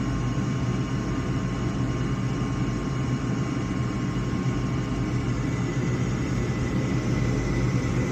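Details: Gas furnace (slow-operating, ugly gas valve) sequence after inducer, pressure switch and igniter; steady low burner roar with faint hum, no flutter or dropout; normal burner operation, service fault was flame sensor.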